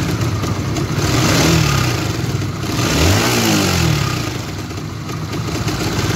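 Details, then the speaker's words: Honda GTR motorcycle engine with a rough-noise complaint: a rough, clattery rattle rises and falls with the revs over the engine note; the mechanic attributes it to the cam chain tensioner, a common fault on GTR, Sonic and CB LED, and the fix is replacing it. "ya itu tadi ya guys Suaranya sangat kasar biasanya untuk permasalan seperti ini adalah bagian sensionernya"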